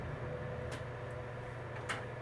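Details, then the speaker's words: Samsung bottom-freezer refrigerator compartment squirrel-cage evaporator fan, removed and bench-tested on 120 volts from the wall; soft even low whir at steady pitch, no scraping or ticking, fan good. "It's a little bit more quiet. Moves some more air. And so we know this fan's good."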